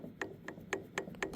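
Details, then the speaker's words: RAM 3500 Cummins Mega Cab front driveshaft, twisted by hand in a quiet room: five or six sharp, dry clicks in under two seconds from worn slip-yoke splines. The front U-joint also has play. "Okay, you can hear it. The teeth in there are worn."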